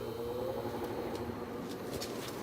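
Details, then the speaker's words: Sears window air conditioner, fan on middle speed; only a faint low steady hum and soft whir, no knocks or rattles; compressor running quietly and normally. "Some people don't like the Seegers, but I think I think they're pretty quiet. I mean, you can barely even hear them as is, and imagine inside."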